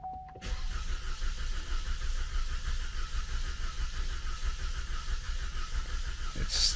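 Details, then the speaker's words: 2014 Cadillac CTS 2.0T cranking after a new timing set and head gasket, fuse pulled so it cranks only, no oil in the engine; even churning about 1.5 beats per second without firing; owner fears a jumped tooth, suspects no oil. "I hope it it sounded weird for a second and I hope it didn't jump a tooth but it also could be because there is no oil in the engine right now"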